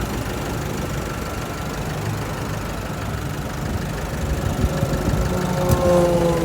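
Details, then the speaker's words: Isuzu D-Max 1.9 Z Ddi Blue Power diesel, 2016, 6-speed manual: starts easily and idles with an even, regular clatter, described as very quiet and tight, with no misses or heavy knocks. "เวลาสตาร์ทเครื่องจะติดเองนะครับสวยๆเลยเครื่องเงียบมากเครื่องแน่นมากครับ"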